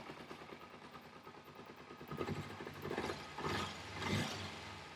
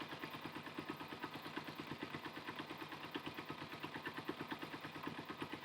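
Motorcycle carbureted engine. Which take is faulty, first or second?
second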